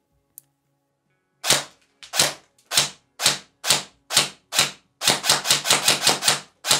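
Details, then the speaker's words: ICS DD MK18 airsoft S-AEG with 3rd-gen EFCS MOSFET, precocking off, firing 0.30 g BBs into a box: sharp snapping singles then a quick string, each with a shrill metallic gear squeal; gearbox screeches strongly. "Also wie gesagt, das Ding kreischt leider ziemlich stark."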